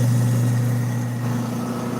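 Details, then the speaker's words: Newly installed Badger half-horsepower InSinkerator garbage disposal, switched on with the water running. Steady, smooth low hum under rushing water with no rattle or grinding; the sound wanted, and no leaks. "Water's running, hit the switch. That's the sound we want."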